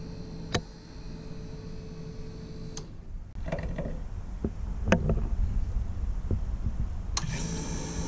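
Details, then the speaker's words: Taco 006 recirculation pump in a snowmelt system hums steadily with a faint tone on top, louder than the expected silence; a used unit and a new unit sound identical, so a faulty pump is doubted. "i don't know if that's normal or if that would be considered loud the one over at the furnace sounds almost identical"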